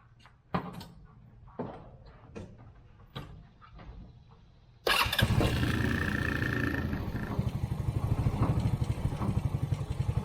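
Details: Polaris Hammerhead Off-Road R-150 UTV after oil change and filter, started to check for leaks: a few clanks, then engine catches and settles into a steady, even putter with no misses or knocks. Normal idle.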